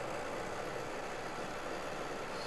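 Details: MSI GP65 Leopard laptop, CPU fan after reassembly: steady airy whirr with a faint mid-pitched drone; fan still noisy, later found to be touching the base.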